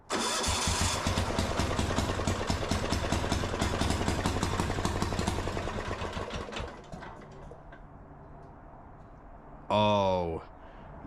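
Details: Yanmar L100-clone 186F 418cc air-cooled single-cylinder diesel repowering a Gravely C10A walk-behind tractor, first cold start after assembly: fires on the first pull and settles into a steady, even chug near 200 beats a minute; starts and runs properly.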